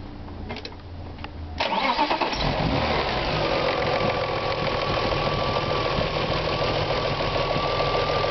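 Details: BMW E36 M3 S50B30 inline-six cranks, catches and settles into a fast idle with a rattly, whining mechanical note; owner asks whether VANOS or timing chain is the cause, unconfirmed.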